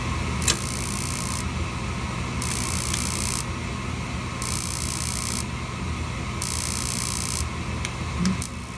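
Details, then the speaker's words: Slant-Fin VSPH-120 gas boiler lighting off; low steady burner rumble with hissy bursts roughly every two seconds as flame catches, normal ignition. "a little while and here's the flame starting up back back up"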